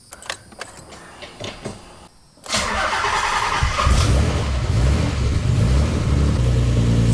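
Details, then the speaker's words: Nissan 300ZX with a rebuilt engine, started after the turbo was removed and refitted to fix an exhaust leak, running on 83% ethanol on a hot day: the engine cranks, catches and settles into a steady idle. The leak seems fixed, though a small one may remain underneath. "pretty good. I think I got rid of my exhaust leak."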